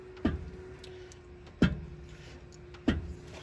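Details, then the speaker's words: Supercharged, tuned 6.2 engine (642 hp), engine off, crank rocked by hand while installing the bottom balancer: three sharp metal clunks. Excessive crankshaft end play means bad thrust bearings; no major metal shavings were found in the oil. "it has crankshaft uh play meaning these thrust bearings are bad or i mean well obviously they're bad now because how much play it has back and forth that's way too much"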